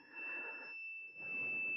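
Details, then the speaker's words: 1999 Volvo Penta 5.0 GI with MEFI 3 ECU, during injector A circuit testing: thin high-pitched steady electronic beep right after ignition is switched off; cause unknown. "as soon as I turn this off and I hear that beeping I don't know why it's not"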